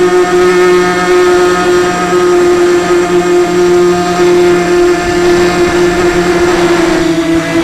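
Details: Sunnysky 2204 brushless motor on a 250 mini FPV quad in flight, with a shelled-out bearing: a steady high whine with a rough gritty hiss underneath. Not noticed until landing, and the quad still flew.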